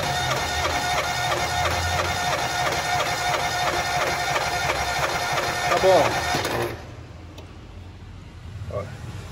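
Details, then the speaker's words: Fiat Palio cranking with the throttle floored during a cylinder compression test (140 psi on cylinder one): a fast, even cranking beat with a rough scraping edge. Starter motor grinding that needs servicing. "essa raspada que deu é motor de arranque vai ser outro que a gente vai precisar dar manutenção também"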